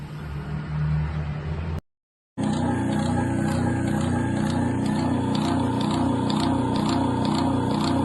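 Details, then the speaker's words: 1940 Craftsman/Diehl repulsion-start induction-run electric motor, bearings replaced and brushes being seated, still vibrating when it runs: a steady hum with a fast, regular pulsing throb; it will be torn down again to find the root cause. "and so the bearings in here have been replaced but the motor still has a little bit of vibration to it when it runs"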